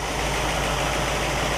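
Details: Warm 1960 Pontiac Catalina 389 V8 at idle, ignition checked with a 1960 Heathkit IO-20 oscilloscope: smooth, even idle, steady low burble, no misses, knocks or ticks; engine healthy.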